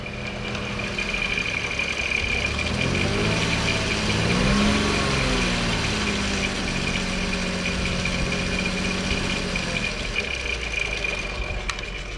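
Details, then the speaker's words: 2002 VW Eurovan, VR6 engine, Seafoam added: rattle at idle that seems to come from over the manifold and goes away when revved, returning at idle. Owner suspects a stuck lifter, not a pulley. Idle rattle that fades when revved. "definitely sounds right over this manifold right inside here when you rev it up though the sound goes away"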